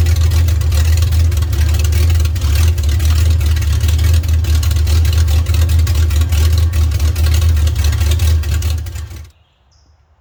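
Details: Mopar 440 big-block in a Dodge D150, first start, air cleaner off, alternator not wired, warming to about 170 on temp gauge, oil pressure 80 falling to 40 at idle: deep, lumpy loping idle before shutoff; plug check planned.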